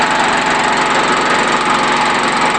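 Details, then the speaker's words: New engine on a wood-gas generator with a 500 W light load, output limited to about 500-600 W. Loud, harsh, raspy running with a busy chuffing edge. Cylinder head leaks on the inlet and exhaust sides suck air and blow exhaust, causing hard starting. "the engine is sucking air and blowing exhaust in places where it shouldn't which would explain why it's hard to start"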